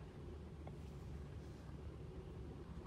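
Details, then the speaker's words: 2008 Toyota Tundra 5.7L stalling at hot idle, no codes: very low, lumpy idle rumble ready to die, rpm too low and MAF reading two to three versus about 5.7 expected; carbon-fouled throttle body found. "first of all i want to see that i see that the rpms were too low way low"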